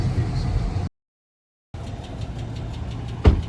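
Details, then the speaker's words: Dodge Charger R/T V8 at a steady idle: a light, fast, even top-end ticking that keeps time with engine speed; the source of the tick is unclear. "If you listen, you hear that he tick ticking like [ __ ]"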